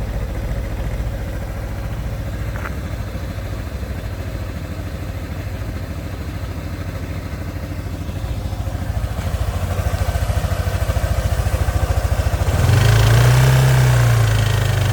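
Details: 2012 Kymco Downtown 300i scooter, 18,000 km: steady metallic knock about three to four a second at idle, then brief revving; owner suspects connecting rod bearing or valve problem, unconfirmed.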